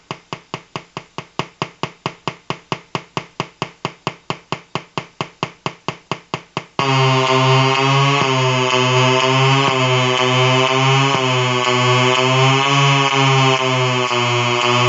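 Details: Colour-changing LED bulb on 4.5–6 V DC batteries: fast even ticking about twice a second, then loud buzzing tone wavering as colours cycle; electrical interference noise from the bulb.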